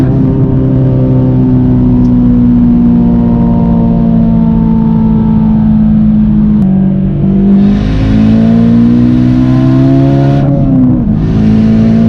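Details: Warmed-up engine at full throttle after a misfire was fixed with colder NGK BKR8EIX spark plugs and new ignition coils: clean, smooth pull with pitch climbing through each gear, no stutter or break-up; running healthy.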